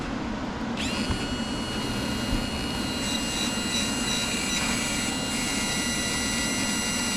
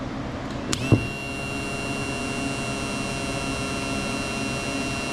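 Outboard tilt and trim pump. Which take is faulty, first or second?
second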